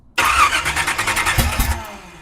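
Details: 1976 Chevy Nova drag car sitting for years, fuel poured into carburetor bowls, choked: starter cranks about a second and a half with even chugging pulses but engine never catches; cranking dies away, cause not confirmed.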